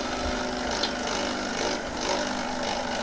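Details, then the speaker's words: Normal operation of the vibration pump on an espresso machine (pl82t/pl92t type) unused for about a year after a reset: steady, dense buzzing hum with faint water gurgle as the pump frees and moves water. "now wait 10 or 20 seconds and uh if we are lucky the pump is uh working"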